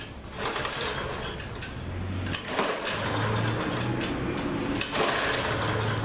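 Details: Lawn-Boy mower that ran last season but won't start this season, clean oil and gas in tank: quick rhythmic chuffing as the recoil cord turns the engine over, never catching or firing; cranks but won't start.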